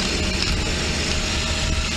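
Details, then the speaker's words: Mercedes V12, engine running with throttle bodies disconnected during testing. Fast, even engine note stays high instead of settling to normal idle, because the throttle bodies aren't controlling intake air. High idle. "well of course idle is high because they're not controlling air intake to the intake manifold because my throttle bodies that are on the vehicle obviously are disconnected"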